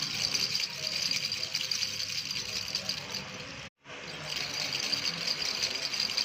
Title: Rattle sound-1